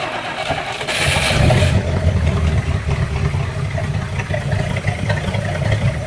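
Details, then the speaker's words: Boat engine after exhaust repair, the previous day's noise from the exhaust issue now gone: steady even note picks up after a brief rev and settles, no ticking or puffing, oil pressure rising; normal running. "And oh, and also you'll notice, or you may not notice, which is a good thing, there's no more of that noise that we had yesterday that alerted me to the issue with the exhaust"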